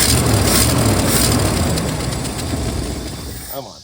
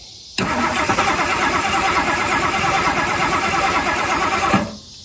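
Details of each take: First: 1964 Mercury Marauder 390 V8, long-sitting, after restoring spark and fuel: engine catches and runs a few seconds with steady thumping beat, then dies; leaking hose fitting sprayed fuel on coil wire, small fire. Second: 1964 Mercury Marauder 390 V8 two-barrel, sitting since 1987, cranked with no power to cab (wires likely chewed): steady starter churn about four seconds, spinning evenly but never catching; cranks, no start.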